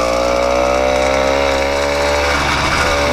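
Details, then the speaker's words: 80cc two-stroke motorized bicycle after tightening the slipping clutch; bright, steady drone easing as revs settle, no clunks or slipping, clutch engages immediately with no drag or slip, still being broken in. "Listen to her purr now. Oh, she sounds much better. Clutch engages immediately."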